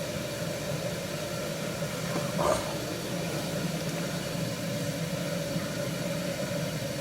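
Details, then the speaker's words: 1974 HydroTherm gas-fired hydronic boiler, old and leaky, first firing of the season: even, steady burner roar with low rumble, no surging or popping; firing cleanly. "The burner, let me just get into position, is firing nicely, so that's good for a change."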